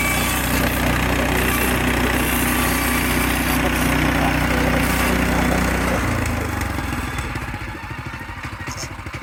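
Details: Frontier OS18 sawmill resawing red oak under load: engine holds a steady even drone through the cut, easing down as the blade clears; cuts cleanly like butter, healthy.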